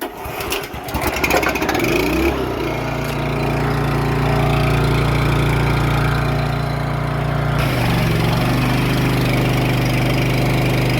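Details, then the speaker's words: 3000 psi gas pressure washer after replacing missing and unseated pump gaskets, pressure over 5000 psi; engine starts and runs steady, then revs sag hard to low RPM when trigger pulled, near stalling; bogging from excessive pump pressure. "So I could actually, when I pulled the trigger, you could hear it did not sound good. It was bogging down, real low RPMs, and a little more pressure and it would have stalled it off."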